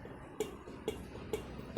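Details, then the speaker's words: Ducati 796 with ignition on and engine off, horn button pressed: sharp, even relay clicks about twice a second with no horn tone while the headlight fluctuates; the horn works only once the engine is started. "So when I the switch on, now I press the horn button. See, it doesn't work. You can probably hear it clicking, right?"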